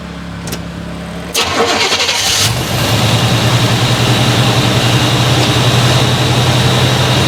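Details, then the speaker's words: 1989 Chevy Blazer after replacing noisy lower idler pulley: starter cranks briefly, engine catches into even idle with no belt squeal or chirp, shakes a little, needs tune-up; normal idle. "he's fixed he's fixed no more noise shakes a little bit I need to do a tuneup on this thing"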